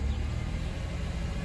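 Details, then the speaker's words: 2014 Hyundai Santa Fe petrol after crank no start, fault was a relay built into the EMS box: starts and idles with low, even rumble, no misses, knocks or ticks; healthy. "okay I'll try to crank it and see if it start press the button once accessory one more I think I heard it uh priming so let's see brakes put on the brake start okay started it's running"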